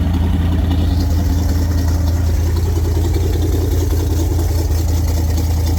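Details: 1974 Lund Tempest II GT jet boat V8, newly bought and finicky to start. Steady, deep idle burble, even and unbroken, with water splashing faintly behind; a healthy idle.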